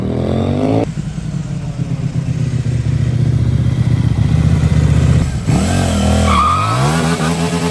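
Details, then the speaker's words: New 2024 CFMOTO 800NK (100 hp) with stock exhaust, first start from the crate: deep, even exhaust burble at idle, then clean blips that rise and fall smoothly without misfire or rattle. Normal exhaust note. "That sounds awesome. Yeah. The stock bike usually don't sound that good. Yeah, that sounds great."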